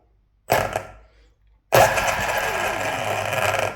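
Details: Hobbywing Ezrun Max 8 G2 sensorless ESC and motor in an RC car after rolling back to the older firmware: a short blip, then a clean spin-up into a steady whirr without stutter or cogging. Much better startup.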